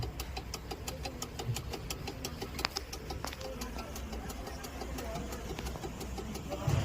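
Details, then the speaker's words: Car's flasher unit clicking loudly on its own, quick regular dry clicks over a low engine rumble, with the indicator off. "बहुत जोर जोर से आवाज आ रही है इसका य फ्लशर यूनिट अपने आप ही काम कर रहा"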